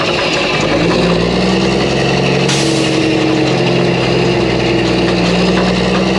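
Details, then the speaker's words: Mack truck diesel after engine reassembly with new parts: pulling steadily under load with an even, deep drone and no knocks or rattles; sounds healthy, normal running. "well Bill she sounds good I don't see anything leaking"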